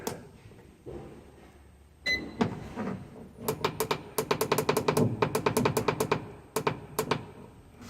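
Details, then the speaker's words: JNH Lifestyles Zero EMF far infrared sauna, about two months after assembly; sharp ticks and snaps in uneven bursts as a heating panel warms, like something expanding; cause unconfirmed, tested after taping cables and removing parts. "it was making noise like kind of loud and like it was like something was expanding well it was heating up"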